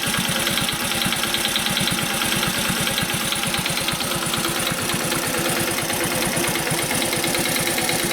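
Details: Commuter Honda Cub at warm idle: quiet just after start, then a light, quick ticking about three per second over the exhaust beat once warm, fading when revs rise slightly; valve train tick, owner tries tappet adjustment, cause unconfirmed.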